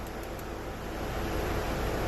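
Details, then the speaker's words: Audi A5 after a fan control module replacement, engine running: a steady airy rush grows louder as the blower steps up through all speeds, with no rattle or squeal; normal blower fan operation. "seems like we're back in business"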